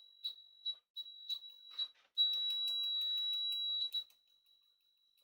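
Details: HP 34401A 6.5-digit bench multimeter continuity test: a few short high chirps, then a clean steady high beep held almost two seconds; crisp, fast continuity response, working normally.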